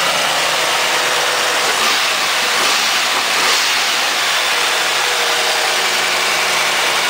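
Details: Firebird LT1 V8, under 100,000 miles, just jump-started after sitting 6 months with weak battery: steady, even idle with smooth hiss-heavy exhaust note, no knocks or misses; normal idle.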